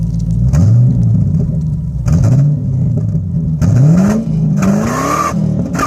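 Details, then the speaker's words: 1994 Ford Thunderbird V8, fuel-injected, running on old gas, not yet warm: deep rumble blipped up and settling back several times, pulling cleanly with loud exhaust, slightly noisy injectors, no knocks or misses. "that's kind of what it sounds like I guess for error that moves out of it because it's an 8-cylinder only thing that the engine makes is the exhaust sound and the fuel injectors are a bit noisy other than that it's virtually silent"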